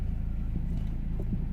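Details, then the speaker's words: 2008 BMW X3, believed 2.0 litre diesel, idling after refitting a pipe that came off because its clip was fitted backwards. Steady, smooth low rumble, no intake hiss or whistle; sounds way better, normal idle. "way better, completely different. Yeah, that's good."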